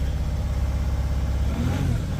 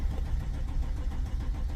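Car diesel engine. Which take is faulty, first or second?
second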